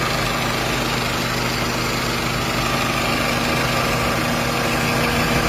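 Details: 1997 Toyota Corona, automatic, petrol: steady, even idle hum with no tapping, misses or rough pulses; no conrod or other engine noise, no white smoke; normal healthy idle.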